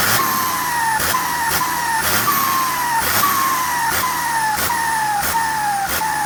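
A high singing tone that sags in pitch and resets about once a second, with hissy whooshes each cycle: a loud whining turbo. Cause suspected, not confirmed.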